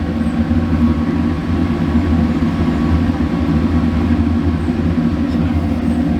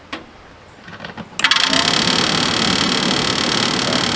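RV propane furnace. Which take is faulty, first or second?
second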